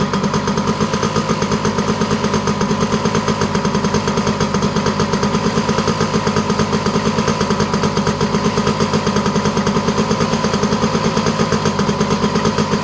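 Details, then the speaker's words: Honda EZ90 Cub single just started after petcock set to run: steady, fast, even putter with no dips; idle set a bit high. "Idle's a little high, but we'll let it run a little bit."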